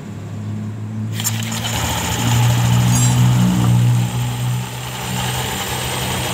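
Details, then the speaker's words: Honda Scoopy, CVT cover opened, engine running: low coarse drone with gritty uneven churn from front pulley; rust on rear pulley and rough noise from front pulley roller housing, worn roller housing. "setelah kita membuka suara kasar di bagian pun di belakangnya ya suara kasar yang suara mesin yang tidak Dino masih teman-teman dan terlihat cukup ada karatan di bagian kulit belakang dan suara kasar di bagian kulit depan bagian rumah rollernya"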